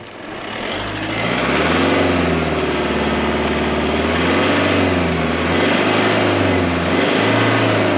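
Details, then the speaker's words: 6-ton diesel truck, unloaded, idling and revved: deep diesel clatter rising and easing with revs, no knocks, rattles or grinding. Normal running. "look at that guys no funny noises or anything let's see how she [Music] runs"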